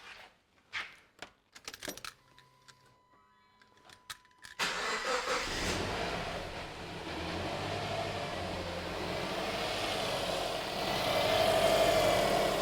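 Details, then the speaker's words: 2010 Subaru Impreza 2.0L just after new NGK iridium spark plugs, coil packs reconnected, air box still off: handling clatter, quick crank and catch, then smooth even run; sounds good, engine light on, owner guesses from an unplugged wire. "car the car sounding good now there is an engine light on the dash but I'm guessing because this wire here is not plugged in"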